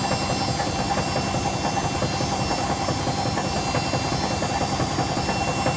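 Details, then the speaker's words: Hotpoint BHWMXL145 washer on a test spin. A loud, rough rumble with a heavy thump about once a second as the drum wobbles. Two drum spider arms are snapped and the drum is cracked at the back. Bearings were first suspected, but it is the spider. "I don't think the Bosch was as bad as that when I first got it as early one arm the snapped was clearly this one two arms are snapped"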